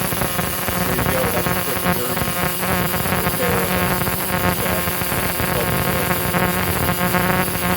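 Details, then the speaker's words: 2-stroke rail speeder ignition coil (dated July 1985) after quick repair: new capacitor soldered in, points sanded; steady rapid buzz with crisp spark crackle on a test plug, points arcing a little and should probably be replaced; coil now firing normally. "There is, I sanded the points, and they're arcing a little bit, not terrible. They probably should be replaced."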